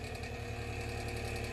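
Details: 1950s Polar Cub 8-inch table fan running: fast, even rattle over motor hum, something loose, probably guard or blade; tightening guard bolts tried, tune-up and switch replacement needed.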